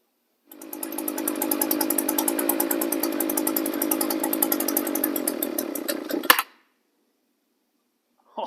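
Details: SRM-280S two-stroke trimmer after replacing a warped air cleaner base that prevented choking on cold start; steady high-idle buzzing for about six seconds, even firing, then cut off; running properly.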